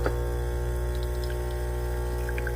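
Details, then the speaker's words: DeLonghi ECP3420 espresso machine, about a week old, pump pulling a shot through tamped coffee: steady even buzzing hum with no stutter or strain as the shot flows smoothly; normal pump operation. "Now look how that flows so nice and smoothly."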